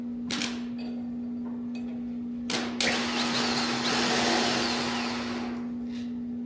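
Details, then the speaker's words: Large wood chipper engine on a West Virginia homestead, unseen running, with a suspected mis-wired starter solenoid: starter jumped directly, a steady even electric whir at constant pitch after a couple of clicks, so the starter motor works. "So there's power. So the starter motor works."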